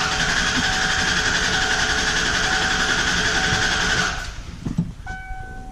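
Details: 1995 Ford F150 4x4, compression test with spark plug out and accelerator floored to stop injection, engine turned over 5–6 times: even, steady cranking beat, strokes alike; reads about 160 psi, compression okay.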